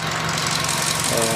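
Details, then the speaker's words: Sonic at 100,618 miles, after PCV valve and valve cover replacement: petrol engine idles smooth and quiet compared to before, with only a faint lifter tick audible from the top end. "Nice and smooth and quiet, just compared to before."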